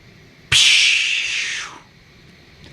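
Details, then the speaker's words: AWD turbo race truck with fuel rails unbolted and injectors pulled, key cycled to pressurize and check for drips: an injector shot out, then a loud hose-like hiss of fuel spraying from the open port, fading as pressure dropped. "That injector shot across the room and thank God it didn't hit anything hard."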